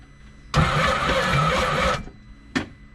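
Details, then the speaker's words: 2014 Scarab 195 supercharged jetboat, 300 hours, locked up after shutting off on water: with supercharger removed, starter drags engine over heavily about 1.5 seconds without catching; still slow, cause unknown, jet pump next, owner suspects possible spun bearing. Slow cranking. "I just want to see if thing this thing will actually turn over without the supercharger. So, just out of curiosity, let's try it. That's still slow."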